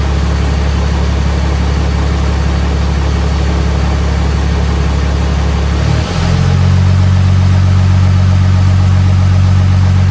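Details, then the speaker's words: Freshly swapped 6.7 Cummins diesel in 2nd-gen Mega Cab, first fire after two cranking tries: deep clatter settling into even low idle after brief stumble; no knocks or misses, running really smooth. "So, as you saw, it fired up. It's running behind me. It's actually running really, really smooth."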